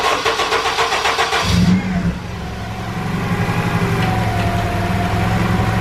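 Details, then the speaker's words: K-series engine after throttle body and throttle cable tension adjustment: brief crank, then steady even idle around 850–900 rpm, down from about 2500 rpm before; though it chokes out when throttle is touched. "all right the idle's a lot better it's at around 850 900 something like that so it's below 1000 rpm where before it was idling in like 2500 rpm"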